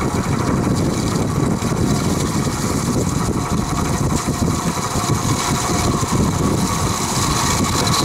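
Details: Vintage Penncrest (Lakewood) 20-inch 3-speed box fan, stored 6 years, bearings oiled with WD-40, on high: constant coarse diesel-like clatter under the roar; no motor play or loose blades, owner suspects a groove worn in bearings.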